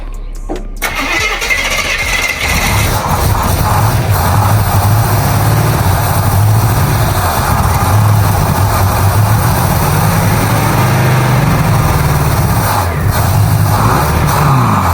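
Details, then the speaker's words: Newly acquired carbureted project car starting after fuel added: starter turns briefly, engine catches at once and settles into steady, even idle with no misses or knocks — healthy cold start. "But honestly, that thing fired right up. That's awesome. It sounded really good."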